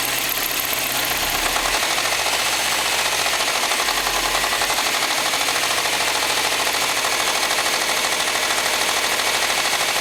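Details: Subaru STI engine at idle with a hard, rapid knocking clatter that sounds like rod knock, piston slap or a spun bearing, but was caused by a bad belt tensioner.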